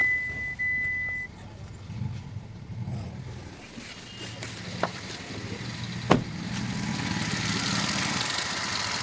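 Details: Hyundai Grand i10 push-button start, after repair of the faulty smart key module that had caused intermittent no-starts: a short chime, then the starter turns and the engine catches into a steady, even idle with no stumble; a clean start.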